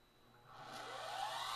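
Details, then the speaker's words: Hoover vacuum cleaner universal motor on a drag-race stand: whine climbs steadily in pitch and loudness as it races away past about 35,000 rpm, then every commutator bar is thrown out; overspeed and commutator failure. "now did you hear that thing race and take off there right at the end please tell me this is a good'n"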